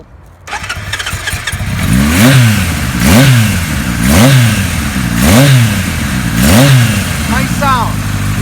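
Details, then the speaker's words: Fully restored 1974 Kawasaki Z1 900 four-cylinder. Catches cleanly, then five crisp throttle blips fall evenly back to a steady idle, with some airbox or air filter intake sound audible. Normal, well-balanced start. "You can hear the air box a little bit, or the air filter. That's a nice balanced sound."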